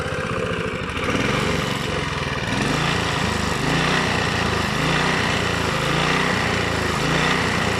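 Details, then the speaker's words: Honda GV150 single-cylinder engine after rebuild, dropped to idle too quickly. Runs rough and uneven, missing beats as it settles toward idle; the owner says it needs a small adjustment. Engine stumbling when dropped to idle. "si je la passe trop vite au ralenti elle aime pas bon c'est un petit réglage"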